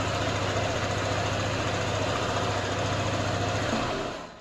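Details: Honda ADV scooter with a jammed smart-key switch, started by jumpering the red-black and red-white wires with the remote nearby: smooth, even, quick idle for several seconds, then switched off and winding down; healthy running.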